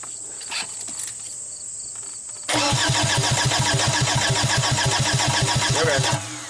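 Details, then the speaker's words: 2005 VW Passat TDI, 231,000 miles, crank no-start after engine and transmission rebuild: even cranking that never catches; fuel barely dribbles out with bubbles. "i swear i saw some bubbles coming coming out through there you crank it a little more [Music] it's just barely dribbling out and crank it one more time"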